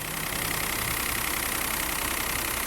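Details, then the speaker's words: 2017 Peugeot 208 1.2 three-cylinder after repair with genuine parts, timing belt properly tensioned: steady even idle, front whine gone, just a quiet smooth hum; normal idle. "zunido que tinha na frente aqui parou, tá? Pode desligar. Sem barulho nenhum. Perfeitinho, comando figurino. Correia tensionada, tudo perfeitinho."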